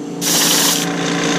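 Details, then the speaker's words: Iwata Eclipse HP-CS airbrush spraying cleaner: loud, rough, feathered hiss instead of a clean steady stream, indicating gunk on the needle and a clogging nozzle that need cleaning and maintenance. "if you hear that hissing that feathering and you don't have a just a clean stream coming out of this and I've got cleaner in it now this is an indication that it's time to clean the gunk off the needle clean out the nozzle head and do some basic maintenance on your airbrush"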